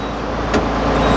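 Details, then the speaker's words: Tractor at first test start after clutch work, new release bearing fitted, clutch pedal still noisy despite greasing: even engine running with no whirring, chirp or squeal from the clutch area; new release bearing completely quiet. "new release bearing is completely quiet."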